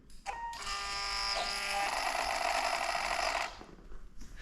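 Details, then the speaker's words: Fuel pump switched on after repairing a cracked area: high electric whir runs evenly for about three seconds then cuts off; pump working normally and no leaks seen at the repair. "Okay, so you'll hear it come on, but we're looking for leaks in that repair area. I don't see any leaks. The pump is working too."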